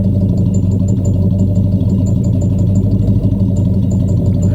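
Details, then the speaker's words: 1967 Ford Galaxie 500 V8 on a drive, described as a good-running cruiser: deep, even, steady exhaust rumble with no misses, knocks or rattles at relaxed idle; normal exhaust note. "It's just a good runner, man. Again, this isn't a a race car, but just a nice cruiser."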